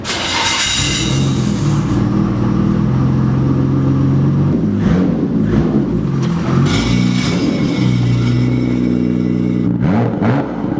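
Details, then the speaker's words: Nissan R32 GTR re-straight-piped, skid plate refitted; loud raspy straight-pipe note rising and falling through several revs with no rattle, puff or hiss, sounds much better and healthy. "it's so much better with a straight play"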